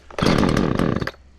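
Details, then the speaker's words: Husqvarna chainsaw from auction after cleaning and fuel line replacement, chain possibly slightly tight, started on choke; fires and revs cleanly with crisp steady two-stroke buzz; healthy running. "good well I think she sounds pretty freakin good and the chain looks good to me"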